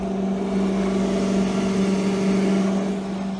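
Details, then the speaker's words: Lincoln 220 V stick welder, old unit, reassembled after being opened: steady even hum with smooth whir of the cooling fan kicking in, no rattle or scraping; normal cooling fan operation. "see if we can hear the fan there you go see that's what you want to hear little fan kicking in"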